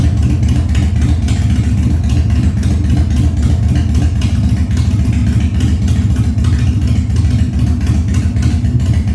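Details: 1997 Harley-Davidson Fat Boy after carb cleaning, new plugs and battery; cold start on choke at 70°F humid, no air cleaner fitted: deep steady potato-potato idle, even loping beats, no misses or clatter; idling fine.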